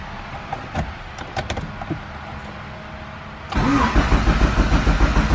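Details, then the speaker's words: Built turbo B16 EF Civic hatch not started in a while, on its existing tune: the starter cranks steadily but the engine never fires; the distributor keyway was set 180 degrees off, so timing is far out. "I set the keyway 180 degrees off on the distributor, because you can hear when it's cranking, it goes what, and that's just saying that the timing is way too far off."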